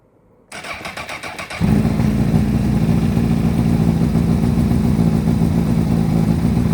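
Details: Repsol Honda CBR1000RR sportbike after fitting a new Varta battery: brief starter whir, then engine catches and settles into a steady, even idle with no misses or rattles; warmed past 47 degrees before revving; normal start and idle.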